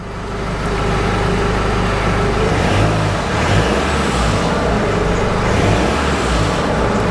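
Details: Jeep Wrangler 2.8 CRD diesel after a fuel filter replacement, primed first: catches and settles into a steady low rumble with no stumbling or hunting. Starts and idles fine.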